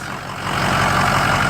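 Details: 6.0 PowerStroke diesel after oil cooler install and FICM replacement, first start: settles into a steady, even idle with a regular low chug, no misses or stumbles; running properly.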